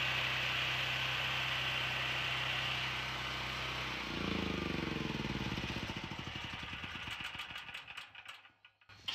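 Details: Generac GP6500 generator with COSense, the two black switch wires jumped together: a steady, even drone, then slowing pulses fading to a stop when switched off. It runs and shuts down properly.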